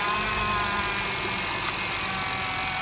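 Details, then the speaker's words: 2013 Honda Pilot petrol V6 at 150k miles, after timing belt, valve adjustment and radiator service: smooth, even idle with no more clicking noise. "Sounds good, sounds good. No more clicking noise."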